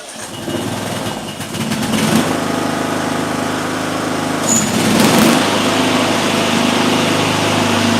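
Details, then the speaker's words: Small mower engine with ignition coil air gap at 0.035 in versus the recommended 0.010: steady, even buzz at constant speed, no surging, misfire or sputter; sounds the same, coil gap seemingly not mattering. "sounds the same. Looks like that coil gap doesn't matter at all."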